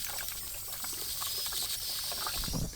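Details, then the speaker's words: 1986 Dodge Diplomat police car, parked 25 years, recently revived, idling while idle screw is adjusted: getting very hot, steady hiss with trickling and bubbling as coolant escapes a swollen, pinholed upper radiator hose; owner suspects thermostat not opening. "the thing's just starting to get hot like really hot you can hear the thermostat like just bubbling over and on top of that the upper radiator hose just all of a sudden swelled up and got a pinhole in it that's new"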